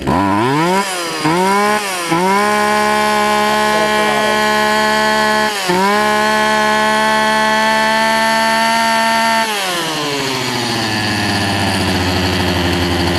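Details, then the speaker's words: Poulan Pro 18" two-stroke chainsaw, warm start after carburetor adjustment (screw turned in about four or five turns): crisp buzz revs up cleanly on each blip, holds steady, settles to a smooth idle; runs well. "and so as a result I think I got this thing to run pretty good so let's let's see let's see what we have here it's a warm start because I've been working on it but I cranked it up"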